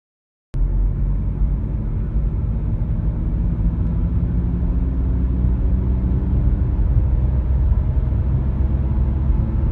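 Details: Audi A5 B8 driving: deep, steady drone in the cabin, low rumble of a bad front right wheel bearing, heard before its replacement. Cause suspected, not confirmed.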